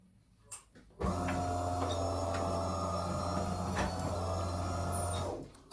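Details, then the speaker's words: Delonghi ECAM 23.460 Cappuccino coffee machine, brewing a throwaway coffee after descaling: low pump buzz with a faint thin squeak early on from the brew unit (infuser), which can be eliminated. "Dacă ați sesizat în timp ce prepara cafeaua, se aude un scârțit mic. Poate o să-l sesizați și la aparatul dumneavoastră și vreau să vă arăt cum se poate elimina"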